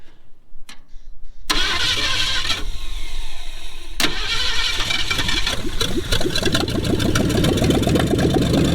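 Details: 1966 Mustang 289 V8 that sat over 20 years, restarting after fuel line work: the starter whirs, then the engine catches and revs roughly with uneven firing, then sputters; it is running only on priming fuel and hopefully will start drawing fuel on its own.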